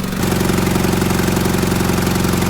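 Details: Car engine started and run with no oil pan and no oil: steady idle with a hard, even tapping pulse riding the firing beat as the bearings run dry.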